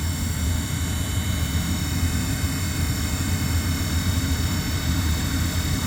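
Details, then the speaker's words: Furnace reinstalled after repair, sealed with butyl tape, blowing hot air; louder than it should be, steady low blower drone with faint constant whine; owner blames transport and expects he may have to pull the furnace out again. "what sucks is I'm probably going to have to pull the furnace out again because that's a little loud know you hear it it's a little bit of a wine"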